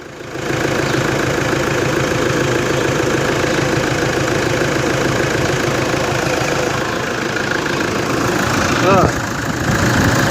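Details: Toyota Hilux D4D diesel after an unbearable alternator belt noise was fixed by removing and refitting the alternator: steady, even idle clatter with no chirp or squeal from belt or alternator; sounds healthy.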